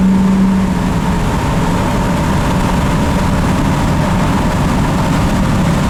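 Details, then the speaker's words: Ford F250 7.3 Powerstroke diesel, 100 hp performance tune, driving at about 15 psi boost: steady, deep, even drone under load, crisper and smoother, no knocks or misses; healthy engine pulling cleanly. "it just sounds a lot different I mean it just sounds a little bit more crisp that sounds like a 6-litre that aspect and I just like it's like smoother too"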